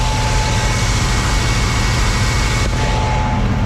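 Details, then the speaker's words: 1979 G10 van, cold start in deep snow after sitting, which previously ran poorly, possibly on old gas: even, steady low rumble with a faint constant hum and no knocks or misses; normal idle. "This thing, the van's running great, which is crazy because before it never wanted to run. Now it wants to run great."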